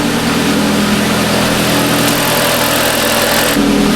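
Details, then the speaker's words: Audi S3 after timing work and battery reconnection, fuel line clamp leak fixed, at startup: a bit loud initially, then smooth even idle, no knocks, ticks or misses; normal idle. "It's a bit loud on startup, but seems alright."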